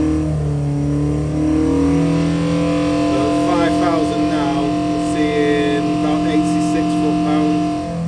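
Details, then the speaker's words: 1120cc engine with 12:1 compression on the dyno, held near 5000 rpm: a steady, high howl with a rough buzzing edge. Exhaust vibration noise, thought to be the silencers vibrating. "it's got funny noise what is that noise is M's vibrating I think morret are making a funny vibration noise on the exhaust"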